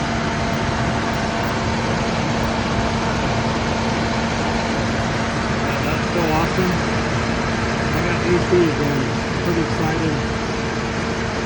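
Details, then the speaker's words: 2007 Dodge Ram 1500 after AC repair, idling in the driveway with the AC on: steady, even condenser fan whir and a constant hum over the engine, no grinding. The fan, which had stopped turning when the truck was stationary, now runs and the AC works. "I can already hear it. Yeah, I don't know if you can see that, but the fan is turning. So, everything's working as it should. AC pump's running."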